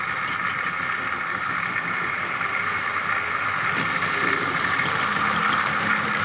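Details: Tri-ang R.152 Class 08 diesel shunter model, ball-race rear bearing converted X04 motor, hauling tanker wagons at scale speed drawing about 0.24 A: smooth, constant whirring tone with soft track clicks, no grinding or stutter; running sweetly.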